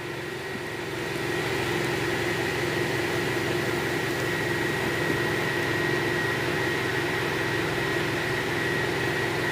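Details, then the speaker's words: Ventilated seat cushion fan in a Hyundai Aura: steady even whir with faint hum and light hiss, no ticking or rubbing; fan running normally. "पर इस fan को on कर रहा हूं और जब हम वैन पर ऑन कर देते हैं तो इस तरह से नॉइस हम यहां आती है"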